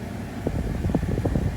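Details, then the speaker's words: 2018 Mazda CX-5 HVAC blower motor just replaced after weird noises, AC on, cover still off: even low fan rush with slight flutter, no squeal or grinding, a little noisy but pushing similar air; normal blower operation. "a little noisy but not too bad it seems like it's pushing it pushing out about the same air as the as the old one"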